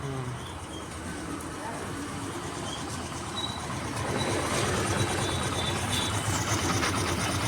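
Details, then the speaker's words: Hero Destiny 125 scooter after half-engine work and crank main bearing replacement, kick-started: soft, even idle with no knocking, rattling or vibration; engine now quiet like new. "देखिए कितना मीठा sound आ रहा है engine का किसी भी तरह का वाइब्रेशन या किसी भी तरह का नॉज नहीं आ रहा है"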